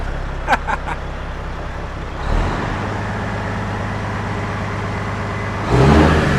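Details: Peterbilt truck diesel after turbo failure, before intercooler cleaning or replacement: even, steady rumble rising briefly on a rev, no knocking or rattle; good oil pressure, runs smoothly and sounds healthy.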